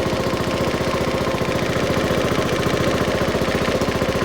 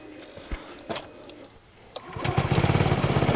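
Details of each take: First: Honda Forza 125 scooter after starter-alternator replacement, first start: sharp, rapid puffing at idle, a chuff with every firing, from a hole in the exhaust; the bike is smoky and kept outdoors uncovered. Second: Honda Forza 125 scooter after its starter-alternator was replaced, with an exhaust leak at the O2 sensor; a few soft clicks, then it catches at once without any cranking whirr and settles to an even idle: normal start.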